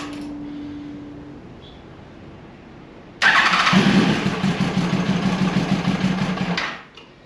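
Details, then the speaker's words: 2002 Yamaha FZ1 1000cc, first start in 8 years after tank cleaning and new petcock: after a quiet crank it catches and revs roughly about three seconds, then dies; running only on starter fluid, carburetors not yet primed with fuel. "That's definitely just on the starter fluid, but we're trying to get these carburetors uh primed up with fuel."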